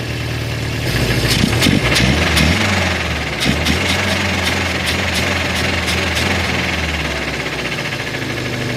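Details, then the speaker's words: Volvo 144S after rebuilding its HS6 SU carbs and setting valve lash and rough timing: loud rough idle with a steady metallic knock about three per second, sounding like metal-on-metal contact in the bottom end; cause not yet confirmed. "It's pretty loud. Definitely sounds like some metal on metal contact going on, and it's definitely coming from the bottom end."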